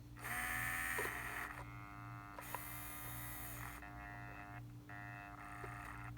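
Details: Steering servo on a vintage 1978 Shinsei Fire Fox (Lamborghini Cheetah) RC car, revived after long dormancy and previously without steering: a steady low hum with short buzzing bursts as it nudges toward center. The servo is coming back to life; this hum is normal.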